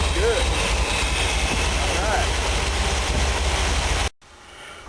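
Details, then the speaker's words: Chevy 454 big block in a Willys, rebuilt after piston-to-valve clearance failure with ground valve reliefs and replaced pistons for a higher-lift cam: deep, even V8 idle around 700 rpm, no knocks or ticks; oil about 40 psi. "put it back together and let you guys hear it all right [Music] Runner sounds"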